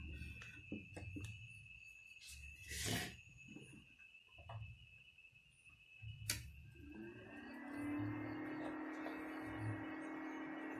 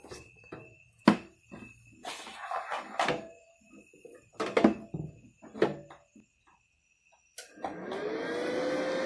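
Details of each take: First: Benz BZ 8914 MMA-120A IGBT welding machine cooling fan after modification with a DC-DC step-down converter from 24V to about 12V: after handling knocks, fan spins to a soft steady low whir, no rattle; much quieter than stock. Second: Benz BZ8914 MMA-120A IGBT welding machine, cooling fan on stock 24V before being stepped down to about 12V: clunks, then a rising whoosh settling into a loud steady roar, fan too fast and noisy.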